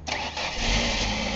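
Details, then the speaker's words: 1998 Ford Escort ZX2 Sport parts car, fuel tank and damaged lines bypassed feeding the fuel rail, no coolant system, leaking transmission fluid; short crank catches quickly and settles to a steady, quiet idle: normal start. "hey look at that it runs good losing our transmission fluid but we found out the was no good anyway hey it sounds good it's very quiet"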